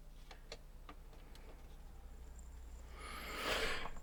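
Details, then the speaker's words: Yamaha CDX-397 CD player powered on a dim-bulb tester, sold as powering on but tray wouldn't move: faint ticking about every half second, then brief whirring grind as the drive tries and fails; sled moves but very loose, transport issue – tray mechanism slipping. "Does the sled move? Yes, it does. But it's very loose. It's not supposed to be like this."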